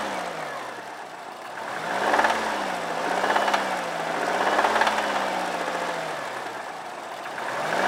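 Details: 2002 Subaru WRX at idle: engine rises and falls in slow surges with an irregular knocking rattle on top; deep knock whose cause is unknown, and the car needs a new engine.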